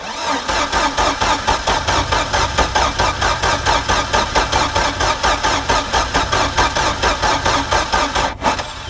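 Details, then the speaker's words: Mercruiser 3.0 in a Stingray boat, sat 9 years, new fuel pump and carburetor, on muffs: steady cranking about two beats a second with brief stumbles that almost catch but never run; cranks but won't start yet. "really wants to i can hear it it's just not so dang close though man"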